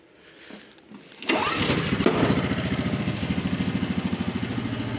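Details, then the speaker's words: 2004 Polaris 120 ATV, needing a little throttle to start: short crank, then it catches quickly and settles into an even, steady putter; starts and idles fine. "So that thing runs good."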